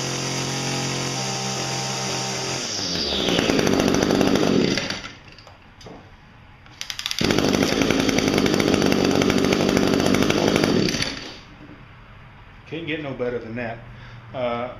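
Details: Chainsaw cold-started on pre-mixed ethanol-free small-engine fuel stored in the tank seven months: fires and revs cleanly to a high even scream, drops back and picks up again crisply; healthy running saw.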